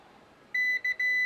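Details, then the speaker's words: Klixon temperature thermostat, disconnected, tested with a continuity meter: steady high beep as soon as the probes touch, breaking briefly twice; thermostat conducts and has not tripped, so it is closed. "ok donc là effectivement je vois que maçon des passantes donc elle n'est pas en service"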